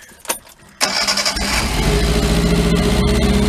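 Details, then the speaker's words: Cheap Chinese T-mag work truck engine, valves and cam timing already checked, running with a plug wire disconnected on three cylinders: it cranks and catches, then runs with an uneven, lumpy beat and a skip in the rhythm. The missing cylinder is clearly audible. "can hear it missing. And if I try four."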